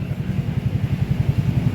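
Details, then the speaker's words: Honda Beat FI scooter idling on its centre stand: low, uneven chuffing that stumbles and is rough; owner complains of hesitation up to 40 km/h and suspects the TPS sensor and fuel pump filter. "ketika seperti ini pun standar tengah ini memang agak berebet."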